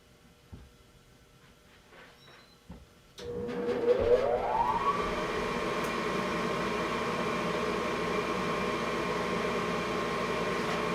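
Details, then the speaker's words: York Diamond 80 gas furnace from 2000, 90,000 BTU input, 80% efficient, starting in heat mode: after quiet the inducer whirrs up to a steady hum, then the burners light into an even roar; normal startup. "no here goes the inducer the [Music] burners here go the burners this is a 90,000 BTU York d8 it's oversized a little bit"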